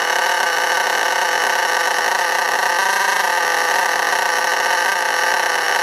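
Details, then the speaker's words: STS D30M engine during break-in, no throttle applied: high buzzing scream creeping up and sagging on its own, running away; it can fully over-rev, smoke, then die, and has to be stopped with the brake. "you see it's h revving up and dropping down slightly but it does get worse than that and it'll completely rev itself out and smoke up"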